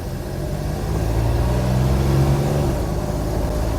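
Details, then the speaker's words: 1971 Jeep CJ5 V6 with an aftermarket Motorcraft 2100/2900-style carburetor, just reassembled after a power valve repair: steady low rumble builds evenly as the throttle opens, no misses, pops or stumbles; pulling cleanly. "Okay. Sounds pretty good. Say we take her for a spin."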